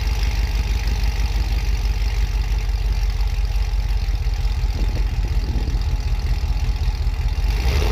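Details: Trailblazer SS V8 with new headers installed; deep, loud, even burble at a steady idle with no knocks or ticks; normal idle.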